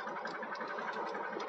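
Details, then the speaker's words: Ford Mustang 5.0 HO V8 at an auction yard on a 103–104°F day: uneven, stumbling pulses with skipped beats, misfiring hard, worse on the throttle. Bad gas is suspected; unconfirmed. "it's just misfiring so hard like watch when i get on the gas that hear it right there"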